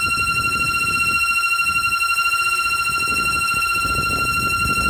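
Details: 2007 Audi A3 8P running: constant high-pitched wheezing/whining whistle, steady in pitch, from a failed PCV valve, a common VW/Audi fault.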